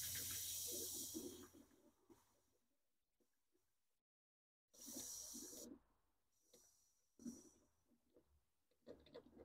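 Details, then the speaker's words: 2001 BMW Z3, M54 engine, cooling system pressure test, plastic parts, system not full of coolant: sharp hissing bursts as pressure is bled slowly from the tester, faint bubbling of air; normal pressure release. "all we have to do is release the pressure now do it slow don't want to jar my system here this is plastic leave all that air I can hear bubbling up in here because it's not full of uh fluid"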